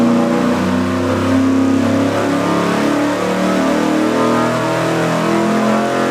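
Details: Engine dyno full-throttle pull, warmed up, on the 750 CFM four-barrel Street Demon carburetor with a leaner metering rod. A steady V8 roar holds an even pitch with no misses, pops or stumbles, and no carb standoff seen. About 480 lb-ft.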